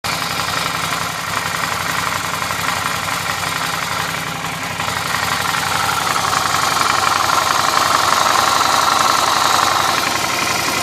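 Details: Suzuki V-Strom motorcycle idling: light, fairly regular tick over the engine note and a hiss building midway; strange noise, source not identified.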